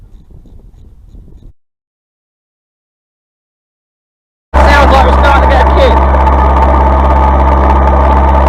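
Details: Massey Ferguson 135 diesel tractor after fitting a new Lucas starter (old one failed despite repair): after a silent gap the engine catches and settles into a steady, even low throb, no misses or knocks; healthy idle.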